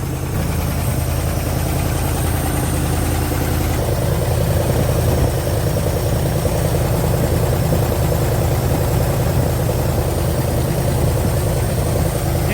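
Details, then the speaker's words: 1973 Chrysler Newport 400 cu in V8 from a junkyard: deep, steady low rumble holding an even idle, no knocks or misses; little smoke and oil pressure present. "where well it sounds like it's running"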